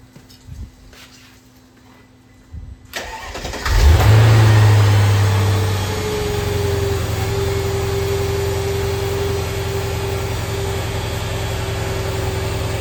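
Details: 2003 Mercedes CL55 after a new ABC tandem pump, rebuilt valve blocks and a fluid flush: the engine catches to a steady idle, then a faint steady tone rises as the new pump primes. Normal hydraulic pump priming.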